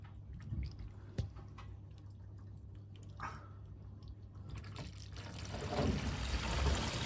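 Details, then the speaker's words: Bath waste outflow test after fixing a leaking waste with no access, draining a 3/4-full bath; steady rushing and gurgling water building over several seconds, no dripping or hiss, drain clear with no leaks. "It's definitely being tested. Plenty of water going down that now."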